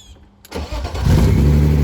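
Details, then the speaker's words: 1990s BMW E36 manual first start with clutch safety switch unplugged: starter engages and engine fires straight away, settling into a steady, even idle with no stumble; normal start. "Right up. Fuck yeah, dude. I'm hyped."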